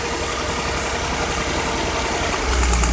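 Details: 2000 Nissan Maxima V6 idling with an uneven, stumbling pulse about four beats a second, intake manifold removed to reach coils; misfire traced to a bad ignition coil.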